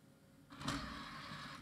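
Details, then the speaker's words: Scrapyard CD-ROM drive, old, not reading a Windows 98 CD and not spinning up: short strained motor whir about a second with no clean click, mechanism barely moving though it moved a little; cause unknown, to be opened. "no I cannot hear anything oh it did move it did move a little bit I think if I try this another 10 times it may actually come back to life"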